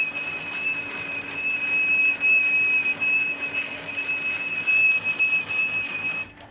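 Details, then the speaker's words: Toshiba e-Studio 2303A copier while copying gives a constant piercing squeal: dry or worn fuser heat roller bushings on both sides of the heat roller; copying itself unaffected. "এই ঘোরার জায়গায় যখন শুকিয়ে যায় তখন এই আওয়াজটা হয়। এবং অনেক সময় আপনার যদি হিট রুলারটা ক্ষয় হয়ে যায় বা যে বুশগুলো আছে সেটা ক্ষয় হয়ে যায়, সেক্ষেত্রে কিন্তু এই আওয়াজটা দিয়ে থাকে।"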